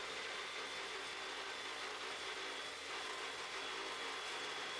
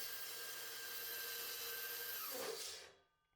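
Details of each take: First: Evolution 15-inch cold cut saw with 14-inch aluminium blade cutting aluminium round stock under light feed after an extension-cord breaker trip: even, steady high-pitched cutting hiss with no bogging or chatter, a smooth cut. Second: Evolution 15-inch cold cut saw with aluminum blade cutting solid aluminum round: screeching cut, runs smoother with harder pressure but bogs down, then pitch sags as motor stalls from overload, blade jammed in cut, won't restart.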